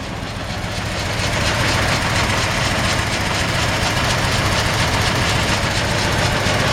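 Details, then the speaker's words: 1949 Ford F1 short-bed pickup, original 239 flathead V8, three-speed floor shift, at idle: faint thin squeak over the engine from the drive belt, slightly annoying, not noticed on earlier drives. "yeah definitely it sound like we're getting a little squeak out of the belt it's not really a big he'll put something else on it but a little bit annoying"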